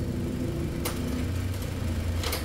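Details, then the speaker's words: 2013 Toyota Altis top-of-line V after replacing a broken engine support that caused vibration: deep, steady idle rumble with aircon running and a couple of cabin clicks, heard from inside. Noise gone; normal idle. "wala na po yung ingay ng word ulitin natin sumakay tayo at umaandar ito"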